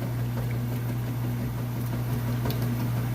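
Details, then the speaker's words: Whirlpool top-load washer, excellent condition, agitating a heavy jeans-and-towels load after filling: deep steady motor hum with uneven sloshing churn, no knocking or squeal; agitation is nice and strong, working perfectly. "it's working perfectly, nice, strong. Sounds great."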